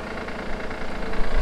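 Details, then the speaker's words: Honda Pilot III (2016) J30A9 engine, cold start idle before warm-up: uneven, fairly strong low knocking growing stronger toward the end, disappears after 2–3 minutes warm; cause: failing timing belt tensioner. "такой стук. Вот такой достаточно сильный стук. И слышится он, пока двигатель ещё не прогрет."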